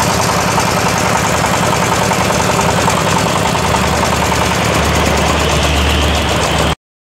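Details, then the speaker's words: Yamaoke ZS1100 16 hp (16.5 hp max, rated 2200 rpm) direct-injection single-cylinder marine diesel on test: loud, steady clatter at about three and a half beats a second; normal running. "Chất lượng lớn, động cơ diesel hàng hải này là 1yhp. Loại zs 1100. đang thử nghiệm"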